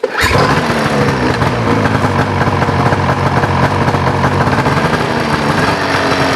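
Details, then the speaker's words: Ski-Doo Rev 800 two-stroke snowmobile with no reverse, fuses checked: fires and holds a steady crackly idle but no confirmation beeps at start-up; owner suspects the stator is bad, unconfirmed. "I'm not getting the beep beeps when it fires up. So, I'm thinking something something ain't right there."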